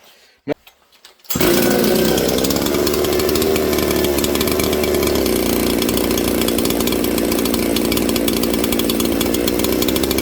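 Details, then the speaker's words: 200-series chainsaw from the junk pile, possibly running lean, holds a fast, busy idle that settles only slightly lower; idle set too high, owner plans to turn the idle screw down so the clutch won't engage; saw also needs bearings. "Okay, friends, did you hear how it slowed down? It's idling a little too fast."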